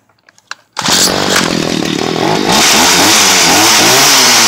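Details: Stihl HS 45 two-stroke hedge trimmer, cold, repaired after a no-start fault: a few pulls, then it catches at once and settles into a crisp, even buzz; starts cold and runs cleanly.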